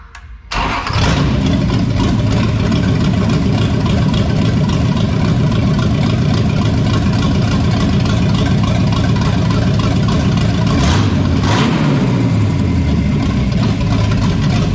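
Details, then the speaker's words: 1973 Toyota Land Cruiser FJ40 with Chevy 305 V8, first start after sitting for years, with timing set, fuel primed, fresh oil and a borrowed battery: cranks and catches quickly, then a steady, even idle with one brief blip; sounds healthy. "that sounds better already okay um all right back try kicking that sounded pretty damn good there though"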